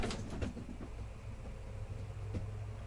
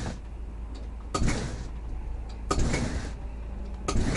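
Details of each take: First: RV slide-out being moved in snow and ice: low drone from the slide motor, then a single dull pop partway through as a frozen corner seal at the back lets go. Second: RV slide-out extending after snow and ice, checking that the top seal is not frozen: low motor drone in short pulls about every 1.5 seconds with soft clunks, no grinding or binding; slide-out runs normally.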